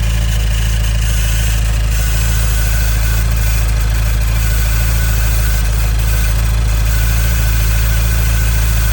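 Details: 2015 Nissan Juke Nismo RS, 112,000 miles, at idle: a faint static-like hissing rattle that first seemed like a vacuum leak, but everything is tight and the car drives well; the timing chain is suspected.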